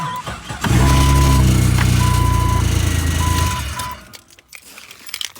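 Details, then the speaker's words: 2000 Jeep XJ, first start-up after an NP242 transfer case swap and new starter: a fast regular slapping rattle with a chime beeping, then shut off and a plastic smell. The cooling fan was hitting the radiator hose, now leaking. "found out the little problem uh and I now have a little bit of a radiar leak but it's right in there that hose sometimes on one of the fans"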